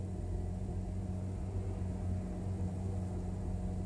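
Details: Hyundai Veloster Turbo cold start at high idle: deep steady drone with faint uneven stumbles from a misfire caused by a faulty coil pack on one cylinder; misfires fade once warm.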